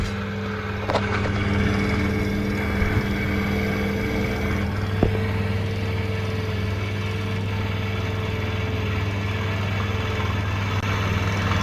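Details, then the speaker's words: Saxon wood heater blower fan: loud steady drone with low hum and faint high whine, caused by fine dust in motor bushings at both ends; fix is cleaning with electrical spray and a little chain lube. "what it is it's got dust in the end of it in here and dust in the other side of it in the bearing in this site that real fine"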